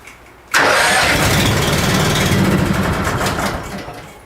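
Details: Honda machine unused since last spring, 6.1 hours on the meter, fuel turned off and the carb run dry before storage, started on choke on a cold morning: brief cranking, then it catches at once and settles into a smooth, even idle with no misses.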